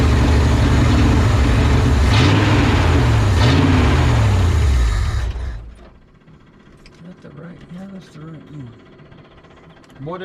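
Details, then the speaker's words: 1970 Ford F-250 V8 first start after sitting in a field: loud uneven pulsing lope for about five seconds then dies; owner suspects carburetion, 2100 carb likely needs rebuild, timing not yet checked. "like that does it probably need to rebuild this carb all right we're going to let die let me shut off this fuel pump that is definitely carburation"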